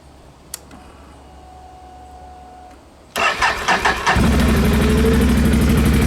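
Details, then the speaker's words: 2016 Can-Am Outlander L 570 XMR after new spark plugs in both cylinders to cure a miss: short crank, catches near four seconds, then a smooth, even twin idle with no stumbles; back to firing on all cylinders. "sweet she's back to firing on all cylinders again"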